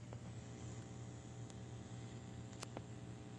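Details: Stern TSPP pinball machine before the homemade resistor fix is connected: a faint, steady low hum sits under the room noise without changing. The speaker output is picking up hum.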